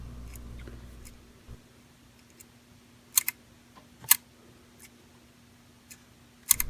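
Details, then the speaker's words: ScaleTrains Rivet Counter HO SD40-2 in Burlington Northern with ESU LokSound DCC: faint, irregular sharp clicks over a quiet motor hum rounding a curve. Plastic sand lines are catching the wheel flanges and side frames, with no derailing or effect on performance. "but you can hear it clicking as it goes around curves and even with the sound on you can still hear or at least I can still hear the plastic clicking on"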